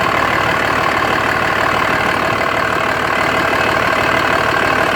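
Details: 2004.5 Dodge Ram 2500 Cummins diesel at idle: steady, slightly uneven clatter around three beats a second. Owner suspects rough idle and blow-by, asking whether there is excessive vapor from the oil fill cap; unconfirmed.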